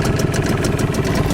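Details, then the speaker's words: Tohatsu outboard (9.8 or 5 hp tested) running on 92 octane petrol with Manol Outboard oil; quick even two-stroke putter at idle, steady firing, no misses, idles softly. "На холостых работает достаточно мягенько."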